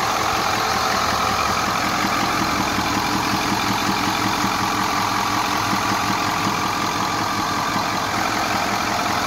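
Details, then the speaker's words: 2010 Ford F-250 with a 6.4 Power Stroke V8 diesel at idle: an intermittent, uneven knock heard at the intake air filter on the passenger side, from compression escaping through the intake; it fades at high rpm; mechanic suspects a pushrod lifter or rocker. "momento no se escucha muy fuerte pero hay veces que sí se escucha el golpeteo bastante fuerte y ahorita se puede escuchar y el golpe se viene a escuchar aquí en el filtro de admisión"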